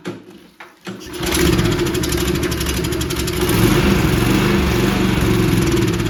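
Couple of cranks, then it catches and settles into a steady, even single-cylinder run with no stumbling; mower engine running properly.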